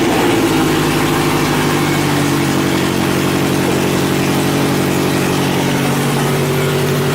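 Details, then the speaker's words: Scion FR-S/GT86 during transmission swap, exhaust off and essentially straight piped, clutch held in: very loud, raw, throaty idle with deep rumbling pulse and no muffling. "so this is pretty much what a straight piped FRS sounds like it probably won't sound much different from what the car sounds like normally"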